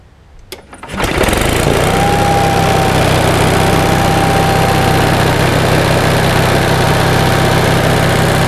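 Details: 1945 Onan generator after a kit rebuild, hot engine at about 127 degrees with 25 psi oil pressure: it catches within a second and settles into a steady, even drone with no misses or knocks; normal start and idle.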